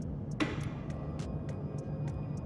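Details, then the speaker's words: Motorcycle fuel injection training rig, key-on, with the injector moved off the throttle body. A quiet low hum with faint regular ticks is the fuel pump building pressure up to the injector, not yet spraying; normal fuel pump priming. "bisa dengarkan adanya suara tekanan dari pompa artinya bahan bakar itu sudah didorong sampai menuju ke corong untuk injektor ini tetapi belum bisa keluar"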